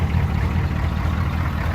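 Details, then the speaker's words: Older military 6.2/6.3 diesel conversion two-wheel-drive truck, unrun five days, cold winter start in snow: starts right up into a low, steady diesel rumble with an even pulse, no knocks or misses, a normal cold idle. "i haven't ran this truck in about five days hahaha it started right up and this is an older truck"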